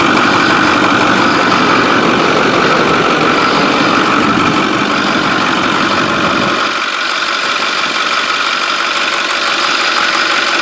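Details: 6.4 diesel truck: steady idle with an even clatter and a faint turbo whistle on top, with no hunting or odd knocks. It is running fine.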